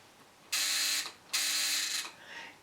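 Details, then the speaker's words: Mesa Boogie Triple Rectifier amp with faulty floor pedal switch, channel two with effects button held: two half-second bursts of rapid harsh buzzing as relays oscillate on and off; relay chatter. "like the relays very fast oscillating fast see that"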